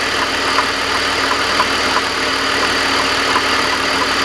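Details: BMW 330i, even after a primary chain tensioner replacement: uneven galloping clank over a steady idle, a few soft knocks a second, present only at idle and gone when accelerating; the car still drives well; cause unclear.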